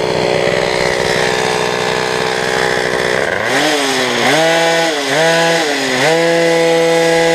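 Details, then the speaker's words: Peugeot 103 custom, full Malossi two-stroke, Doppler Endura crank, rich carb for break-in: revs scream up, then drop and surge as the over-lightened centrifugal clutch stops holding at high rpm and disengages; new clutch springs awaited. "On est beaucoup trop léger, du coup, ben, au bout d'un moment, il ferme plus et t'entends que Ah ok, parce c'est que ça. tu vois, ça débraye."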